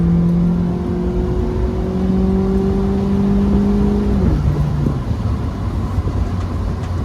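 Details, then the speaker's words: Mazda MX-5 Miata with newly fitted aftermarket exhaust, top down under acceleration: smooth, steady exhaust note climbing with revs then easing on lift, no drone; mostly engine-bay sound, normal exhaust. "It's great, it's no drone. You mostly just hear it from the engine bay, but listen to this."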